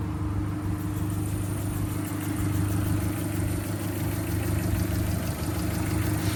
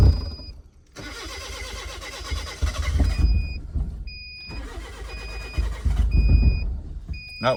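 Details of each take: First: Kia, after timing and crank pulley work, finally running: steady low idle, even drone, no knocks or misses; owner notes belt squeal at cold start that fades when warm. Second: Kia cranking on a crank no-start, before the new camshaft and crankshaft position sensors are installed: two long cranking spells at about three to four beats a second, never firing; owner suspects the cam and crank sensors.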